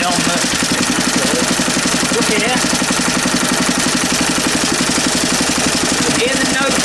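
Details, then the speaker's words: Small engine on a mounting board after refitting the flywheel key and setting the air gap; steady even firing about four beats a second, light rattle from the board. Earlier sheared key blamed on an overlong bolt; now runs cleanly. "the note change slightly, but it actually works now. There you go. It actually works."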